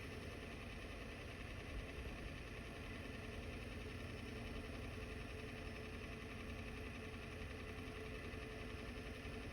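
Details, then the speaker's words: Diesel truck just fitted with a ZF5 manual transmission and new clutch, stopped at a stop sign: steady idle buried under a constant harsh rattling clatter. Gear rollover noise from the gearbox. "Y'all are in for a treat when I hit the stop sign because You're gonna hear the worst gear rollover noise you'll ever hear in your life."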